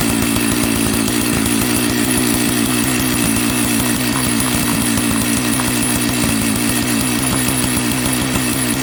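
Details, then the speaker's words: Jonsered 930 project chainsaw restarted at high idle, with a suspected loose spark plug connection: rapid, even two-stroke buzz holding constant speed without stumbling; clean, normal idle. "So, it runs. You know, there's a few things I need to do, I believe."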